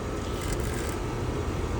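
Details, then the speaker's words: Fairly new AC condensing unit with a steady low rumbling hum; strong vibration from the compressor travels along the suction line through the wall to the indoor unit, and the shock absorbers are to be checked. "It's actually giving a strong vibration. along the low side copper line, the suction line, the discharge line is okay."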